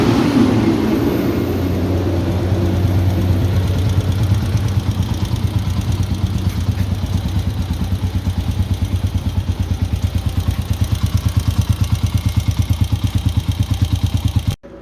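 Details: TMX 125 motorcycle running again after service for a stuck, leaking valve: steady single-cylinder putter, about three pops a second, settling into an even rhythm before cutting off; normal idle.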